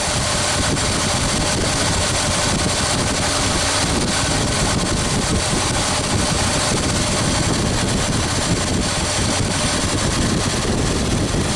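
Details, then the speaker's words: 1976 Ford F-250 390 V8 after Holley 6947 carburetor rebuild and fuel pump replacement, idle mixture screws set for highest vacuum: steady, even idle with constant deep rumble, no misses, stumbles or knocks; idling smoothly and healthily. "and as you can hear this 390 is coming along perfectly"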